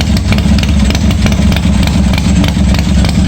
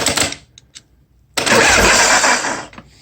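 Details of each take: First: 1986 Harley-Davidson Softail first start after wiring repair, gas added: deep uneven V-twin lope at steady idle, loud exhaust thump, no knocking or rattling; runs fine, oil pressure not checked. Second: 1986 Harley-Davidson Softail with bad wiring, starter button through key switch: clicking at the solenoid, then a short strained starter whir that dies away; cranks weakly, owner suspects it needs a starter relay for more current, not confirmed.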